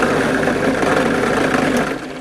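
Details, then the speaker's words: Drill press running at 1300 RPM with a large (half-inch) bit and a clamped workpiece. Rough rattling chatter over the motor hum shows spindle speed far too fast for the bit; the fix is to unplug, move the belt to the lowest speed and leave the belt slightly loose. "Let's turn it on. Can you hear it chattering? It's way too fast."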